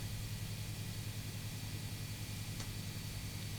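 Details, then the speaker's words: Guitar plugged into a Pedaltrain Nano+ pedalboard with no pedal switched on, idle and lightly played: steady low hum plus a high whistle and hiss, also present with the tuner on. Poor pedal power is suspected, not confirmed. "Now you can hear a humming, and there's also a whistling noise as well. Let's just play the guitar slightly. You can definitely hear that whistling coming through. That's just a clear sign of poor power."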